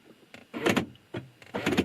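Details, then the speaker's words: Gen 1 BMW Mini (R50/R52/R53) central locking during spare key pairing: two quick crisp mechanical clunks about a second apart, lock then unlock, confirming the key is paired; normal operation. "So you heard that it locked and then unlocked itself. So now this key should be paired to the car."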